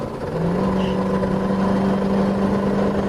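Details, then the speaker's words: 1995 Fleetwood Storm 30-foot Class A motorhome at full throttle on a road drive: the engine pulls hard with a rising drone and a raspy edge from its known leaking exhaust manifold. "you can kind of hear that it's got the leaky manifold I was talking about."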